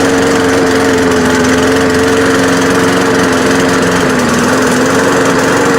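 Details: Free, trashed lawn mower after fixing a stuck carburetor float and a fuel leak: steady fast buzzy drone that sounds a bit uneven. It runs rough, not perfect, but it runs and cuts grass.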